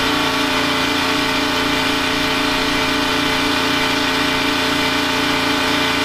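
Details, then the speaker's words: Detroit 3-53 diesel generator in a 1977 Peterbilt 359 motorhome, as a third air conditioner and a 13,000 W instant water heater come on atop heaters and two air conditioners: dense drone, about two beats a second, pulls down slightly, runs smoothly. "You can just catch a glimpse of the third air conditioner starting, and then shortly after that I turn on the 13,000 watt electric instant hot water heater. You can hear it kind of loaded up a little."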